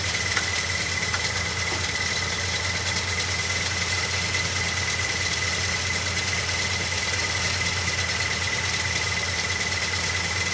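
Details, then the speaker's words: 1969 Ford F100 Ranger first start in years after adding fuel: uneven, lumpy beat at about two pulses a second with a steady high squeal; rough running, a bad coil is suspected. "It's running. Whoa. It's running. It's running. Let's see if we can hook this back up. It's running. Got a bad coil."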